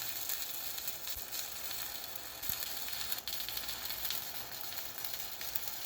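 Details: Pampa Hogar ARC 200 inverter stick welder, 160 A, fill pass: steady crackling sizzle with frequent small pops, even like frying bacon; stable, healthy stick arc.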